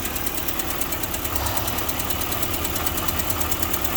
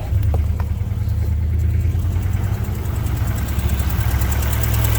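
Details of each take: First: Car at about 120,865 miles just after new motor mounts fitted, radiator leaking: steady idle with fast light tick about three per second on top of the engine; owner suspects right-side valve or lifter, unconfirmed. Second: Car at about 120,800 miles idling after new motor mounts replaced worn ones: steady, even low idle with smooth rumble, engine sits solid with none of the earlier wobble; normal idle.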